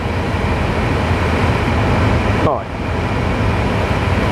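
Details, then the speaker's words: Small BMW heater investigation, dashboard partly removed, blower on: steady blower rush with a brief airflow tone change as the temperature lever moves the blend flap; flap works normally, so not the heating fault. "I don't know if you can hear it well, but the sound does change when I turn this lever now that the blower is on."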